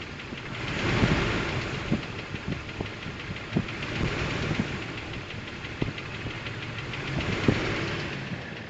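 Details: 2000 Jeep Wrangler TJ Sport idling with sharp, uneven clicks about once a second over the engine, also very audible from the underside; cause undiagnosed.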